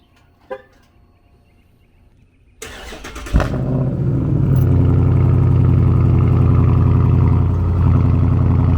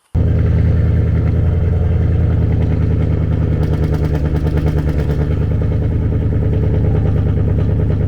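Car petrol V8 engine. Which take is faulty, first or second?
second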